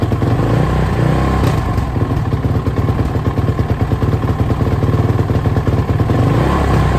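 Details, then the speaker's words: Suzuki RMZ450 single-cylinder, first start after major engine rebuild with reworked head: thumping idle that surges and sags, rpm hunting erratically; lean condition suspected since the head glowed red hot within seconds. "um it sounds like it's running really crap though as you probably said it's really like the RPMs are jumping all over the place it's real erratic um it sounds to me like a lean condition"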